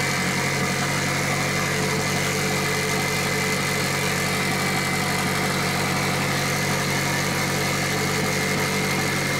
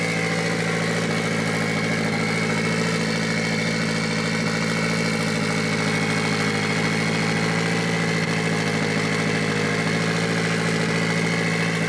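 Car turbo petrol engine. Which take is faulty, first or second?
first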